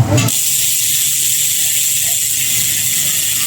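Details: Bicycle bottom bracket after replacing a faulty bearing that had caused knocking: steady, even high-pitched whirring hiss with no clicks or knocks; normal bottom bracket bearing spin.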